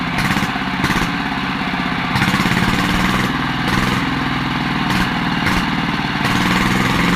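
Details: Yanmar TF115 LM single-cylinder diesel after repair for hard starting (pump plunger and valve work; inner bearings not done): steady slow, even idle thump, no misses or knocks; idles normally with good pressure.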